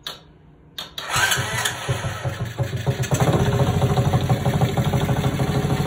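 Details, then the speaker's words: Restored mini chopper / mini bike, small single-cylinder engine, at test-run time: almost didn't fire, catches after a second and settles into a quick steady putter of about three beats a second; normal start and idle, bike drives well. "Like I said, the bike drives amazing. I love the way it sounds. It just runs beautiful."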